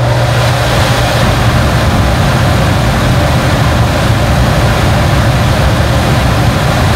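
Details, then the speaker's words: American brand furnace blower running again after a cheap part was replaced, following A/C lines icing over with no airflow from the vents: a steady, even rush of air over a low motor hum with no knocks or squeals. Normal operation. "I could hear it come on from upstairs, and sure enough, and it's blowing."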